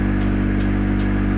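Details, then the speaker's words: Honda Accord Cielo automatic that won't move in D, engine idling in neutral: a steady idle hum with a faint metallic tick about every 0.4 seconds at the front, like metal clashing; the speedometer cable was recently replaced, cause unknown. "suara seperti besi yang beradu"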